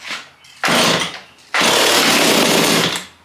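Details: Stihl chainsaw bought as parts saw: two short harsh raspy one-second bursts that die away; catches briefly but won't keep running, later flooded.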